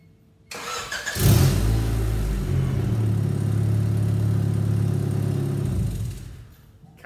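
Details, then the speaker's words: 1992 Honda Accord, about 250,000 miles: engine runs with a loud, deep, blatty rumble that is getting louder while driving, from an exhaust leak at the flex pipe connection. "sounds like we might have an exhaust leak so today we're going to go ahead and try and look underneath see what we can find"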